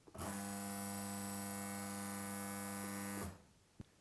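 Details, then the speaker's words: BWT Bestaqua HQ (BA 22/24/26) reverse osmosis unit, integral pump starting from pause during setup: steady even hum and low buzz for about three seconds, then clean cut-off; normal pump operation. "To have the unit start working from pause, press the pause button and you'll hear the unit start to work."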